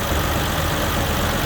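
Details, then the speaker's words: 1967 Rambler 199 engine, warmed up after new exhaust manifold gaskets and a heat valve fix, idles at about 650 rpm, smooth and steady with very little vibration and no misses or knocks; a normal idle. "I'm not sure if you can hear it, but she is just idling happy as could be. Right at about 650 RPMs, and she is smooth as silk. I swear it's about the best that motor has ran."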